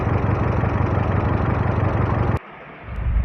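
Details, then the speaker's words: Hyundai Creta petrol with codes P0300, P0301 and P0302, a blinking check-engine light, jerking on acceleration and heavy engine vibration: rough, lumpy idle chug. All four cylinders are misfiring, cylinders 1 and 2 the most, with a coil connector not locking. "तो यहां पे चारों cylinder miss firing कर रहा है और एक दो सबसे ज्यादा कर रहा है।"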